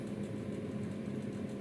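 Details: LG two-door refrigerator (inverter vs semi-inverter comparison), after an R134a Freon recharge with about 1 amp current draw, cooling starting in both compartments: a quiet, steady low hum with no knocking or rattling. Normal compressor run.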